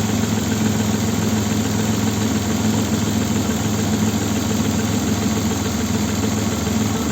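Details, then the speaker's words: Opel Vectra B V6 (X25XE) at idle, on LPG and petrol: uneven, lumpy, stumbling idle with engine shaking, misfire; diagnostics show cylinder 2 not working, with weaker cylinders 6 and 4. "троїть ось зараз перейшов на газ його трясе"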